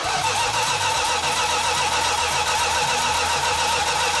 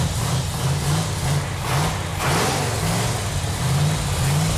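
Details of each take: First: 1969½ Dodge Super Bee, 440 Six Pack, 4-speed, remote fuel tank: steady cranking whir with no firing despite spark; fuel leaking from mismatched fuel line sizes and loose carburetor fittings. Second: 1969½ Dodge Super Bee, numbers-matching 440 Six Pack (three two-barrels), 4-speed, 4.10 Dana, after tightening leaking fuel lines and carburetors: deep V8 rumble rising and falling cleanly through throttle blips, no misfire or knock; engine runs strong.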